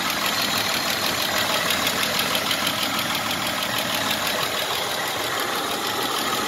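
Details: 1996 Isuzu Trooper after 50 miles with Seafoam in engine oil: light quick tick about three per second over idle, less sharp than before Seafoam but still there; valve train lash tick, cause suspected.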